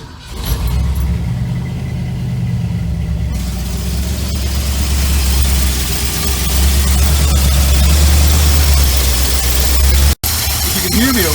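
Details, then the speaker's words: Classic Ford F100 with Holley carburetor, electric choke rewired and adjusted, cold start after three pedal primes: catches quickly into a strong, steady fast idle with a smooth low rumble and slight vibration. Choke opens properly; healthy cold start. "I gooed it down to drop it off the fast idle Cam and it's got a little bit of vibration I don't know if there's a cam at this engine but it's uh but it's running good"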